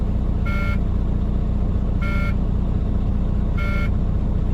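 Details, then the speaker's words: Truck during a CDL air brake test, engine idling with low air pressure: shrill buzzer pulsing about every 1.5 seconds over the idle; low-pressure warning buzzer working correctly. "okay I'm back back wheels are un chocked and as you can hear that's the low pressure warning buzzer so that is working correctly"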